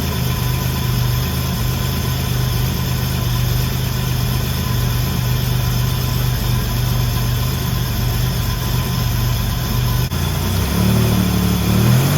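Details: First start of the 1984 Grand National after the engine rebuild (rebuilt 140 block, fresh cam), coolant just filled: steady, even low idle with a smooth rumble, no knocks or misses, then a slight rise; healthy idle.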